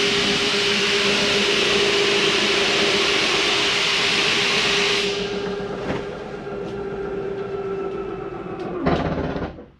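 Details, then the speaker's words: Jayco Eagle 24RE travel trailer slide-out retracting: steady hissy motor drone with low hum, then rougher grinding run and sharp clicks; grinding sound is normal, the slide's built-in stop preventing over-travel in or out. "Once you hear that noise, it's okay to hear if it's going in or out and you hear that little noise that sounds like something's grinding. It's actually not. What it is, it's how the slide is set up to keep itself from coming too far in or too far out."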